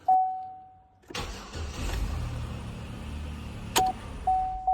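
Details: 2011 Chevy Impala after ignition switch replacement, panel reinstalled, final test (previously clicked and cranked draggy despite new starter): chime, short crank, immediate catch into steady idle; starting normal.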